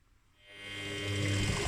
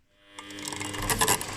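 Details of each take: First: Washing machine belt drive after spraying Hi-Gear HG5505 belt conditioner to cure crunching and squeaking at start-up: drum spins with a smooth low hum, knocking and crunching gone. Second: Washing machine drive belt over 10 years old: dry crunching creak only at start-up at low drum speed, both directions; fixed by spraying belt conditioner-tensioner.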